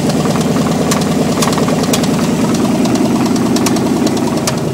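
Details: 305 TPI LB9 V8 with no exhaust, open manifolds: loud raw idle with sharp metallic knocks about two a second; rod knock.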